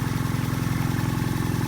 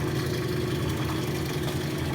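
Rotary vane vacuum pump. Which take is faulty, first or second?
first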